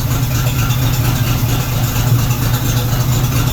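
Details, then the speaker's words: 1976 AMC Gremlin stored 36 years, first run on fresh pump gas with Seafoam added: smooth, even low idle with steady beat, no ticks or misses; runs well and sounds quieter now; normal idle. "This thing runs way too well. It sounds quieter now, actually."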